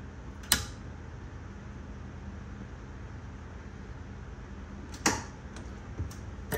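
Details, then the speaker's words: 36V EZGO PDS golf cart, battery at 39.98 V: solenoid clicks sharply when the accelerator is pressed in forward or reverse, but the motor never turns; motor suspected faulty, controller and switches being tested. "The solenoid's clicking down here. You can hear it click when I press the accelerator."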